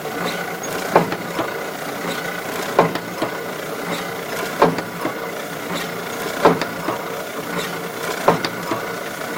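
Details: Kluge 14x22 die-cutting and foiling platen press running with a loud sharp knock about every two seconds, once per cutting stroke; abnormal noise when cutting.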